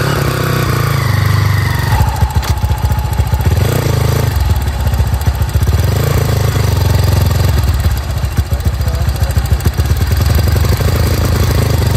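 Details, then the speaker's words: Bored-up Honda CRF, camera placed low near engine: steady even single-cylinder idle, low smooth thump with no droning hum; engine sounds healthy. "pastiin dulu di buaterekam suaranya gak ada suara-suara dengung tu aman"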